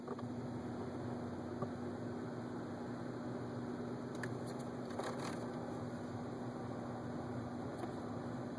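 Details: 2011 Ford Focus at 23K miles, heater rarely used: steady droning fixed-tone hum from the vents that stays on after switching the heater off, as if something is stuck; loud heater vent fault.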